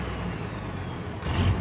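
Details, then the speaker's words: Six-cylinder Fordson Major tractor puller diesel with turbo, test run after twin-plate ceramic clutch upgrade and skimmed intermediate plate: steady deep rumble with even beat, firming slightly under load near the end; healthy engine, clutch doesn't drag or bite. "all right that's it it's ready for a season of track to pull in the clutch works well it doesn't drag doesn't bite"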